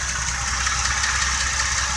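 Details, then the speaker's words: Old 283 V8 running with a vacuum hose as coil wire: fast faint ticking over low idle rumble, spark jumping from the coil lead. "I heard a ticking just in I could hear it the spark jumping"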